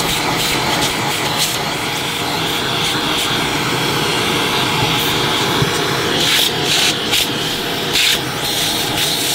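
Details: Electrolux Turbo 2 Z1070 upright vacuum cleaner, motor full of fluff inside: high, rough whirring motor note with a scratchy, rubbing edge; motor bearings sound dry.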